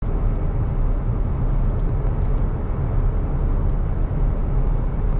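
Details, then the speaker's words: Toyota Tacoma 4WD front wheel bearing hum while driving: steady deep drone, louder straight or turning right, goes away turning left; no play found when shaking the tire. "I turn to the left the noise goes away the humming goes away if I'm going straight or to the right it makes more noise"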